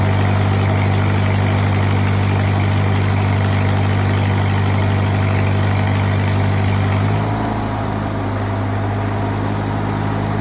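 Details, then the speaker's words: Used engine-driven welding machine load test in the 240 range, rod shorted and output at 100%: deep steady drone that shifts pitch as load comes on and keeps pulling evenly without surging or stumbling. Normal engine under load. "Go 240 range. Hear how that machine idled up strong."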